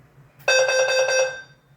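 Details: Notifier NFS2-3030 panel with DVC, after an audio library download fixed an incompatibility trouble, CO message played: clean, loud tone bursts of about four quick pulses, then silence, showing the speaker circuits work normally.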